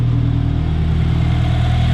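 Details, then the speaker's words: 2013 Scion FR-S 2.0L Subaru boxer engine, smooth even deep idle with no knocks, ticks or misses; running extremely well. "there we go there is the subaru motor running extremely well i'm gonna step out here so you guys can hear it"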